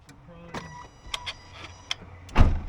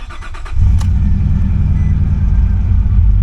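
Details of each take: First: Nissan Pathfinder broken down, while testing coil packs and fuses cylinder by cylinder; key on, faint low electric hum about a second amid light clicks, normal fuel pump prime. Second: Nissan Pathfinder that broke down, after reconnecting unplugged crank position sensor: cranks, catches, runs roughly a few seconds then dies; owner suspects the unhooked mass airflow sensor and air intake pipe; runs fine once intake refitted.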